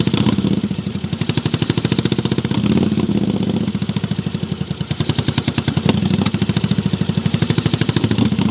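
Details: Yamaha Virago cafe racer project: lumpy, choppy idle that swells when the second cylinder occasionally fires, then pops when it drops out; running mostly on a single cylinder, cause not yet diagnosed. Misfire on one cylinder.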